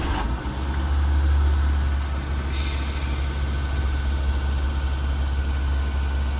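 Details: 2008 Maruti WagonR, 320,000 km, factory LPG: revs up on starting and holds a fast idle that won't settle. No engine warning lamp; the racing persists with the ISC valve coupler unplugged, ISC valve suspected.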